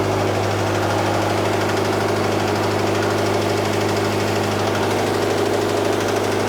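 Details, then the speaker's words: FRS engine with rod knock, after oil change to recommended 0W20: rapid metallic slapping over rough idle, following engine speed; suspected spun rod bearing, engine considered finished. "That's a lot of slapping. That's a lot of friction. That is a lot of friction in the engine."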